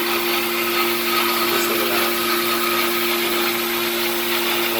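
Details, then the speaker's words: Hoshizaki ice machine with low ice production and bad TXV, switching from harvest back to freeze mode: loud steady drone with rough hissing roar; compressor sounds strained and failing, replacement declined. "does not sound healthy we're still in a harvest mode there we go now we started back in the freeze mode and my water pump started"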